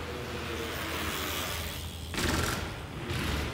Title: Golden Motor HPM3000 damaged bearing sound